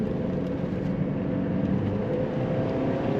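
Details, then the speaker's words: 1999 Chevrolet Cavalier Z24, 39,000-some miles, accelerating on the road to about 4,500 rpm: a strong, clean, steady drone with no knocks, rattles or misfires; healthy under load. "There. I'm only getting 4,500 RPM and lots of torque coming out for this tiny little car to pull itself down the road."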